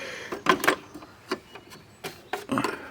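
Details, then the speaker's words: Philco 112K CD/cassette boombox ($2 buy; radio works): CD mechanism makes irregular light ticks and clacks with gaps, no steady spin-up hum; laser seems stuck and disc possibly not turning, pickup sled suspected hanging, not confirmed. "sounds like the laser is stuck I don't even think it's turning"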